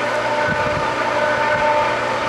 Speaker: Yeah, it's coming in. It is awesome. Water's coming in. That means it will catch prime, most likely.